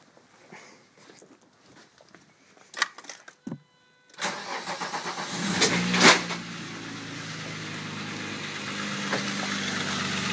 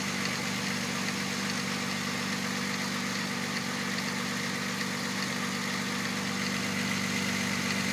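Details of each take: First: 1997 VW Passat VR6 (AAA), timing chains and clutch reportedly just replaced: cranks, catches, raspy puffing exhaust from loose manifolds leaking; chains quiet, idle slightly lumpy, needs ignition wires; serpentine belt off. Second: 1997 VW Passat VR6 (AAA) with reportedly new timing chains and the serpentine belt removed. A smooth, even idle with a steady low hum and no chain rattle, only slightly lumpy; it needs ignition wires. Normal, healthy idle.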